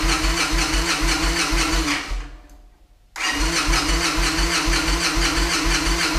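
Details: Victory Vegas Jackpot V-twin cold start on a chilly afternoon after fuel pump replacement, primed twice: fires into a steady loping thump near two beats a second, stumbles and nearly dies, then catches and runs evenly; normal start.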